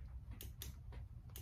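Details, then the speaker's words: Brass Craft drum auger's foot-pedal power box giving sharp, light clicks every few tenths of a second over low room hum as the switch turns the drill on and off; normal operation. "I don't know if you can hear that clicking but it clicks on and off so that your hands can be free to hold the cable of the auger"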